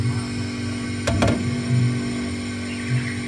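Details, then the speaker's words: Single-door refrigerator not cooling, evaporator during flushing: steady even hiss of gas through the coil with no gurgling, meaning no leftover oil deposits; clean evaporator, no oil gurgle. "Ya, jadi suaranya itu enggak suara gemericik, hanya saja suara desis saja teman-teman ya. Itu artinya di bagian evaporator itu bersih teman-teman ya."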